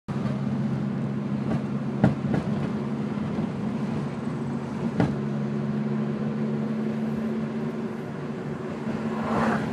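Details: 2002 Ford Focus driving, driver's side front: sharp, irregular clunks through steady road drone. Fixed; the cause was a bottomed-out coilover.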